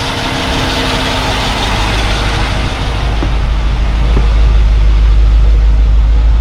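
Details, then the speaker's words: 1972 Mercedes-Benz 280SE 4.5 V8 idling smoothly after a new in-tank fuel filter, Bosch electric fuel pump, fuel lines and repaired tank ventilation: even low exhaust rumble with no misses or ticks; healthy idle, no leaks. "well it's idling nice and smoothly sounds very nice still listen to the exhaust"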